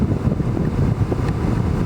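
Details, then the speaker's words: HVAC blower motor that stayed on all the time, after soldering repair, at max speed: steady rushing air roar with a low hum, no squeal, rattle or ticking; normal blower operation. "Right there is max. God damn, this thing blows."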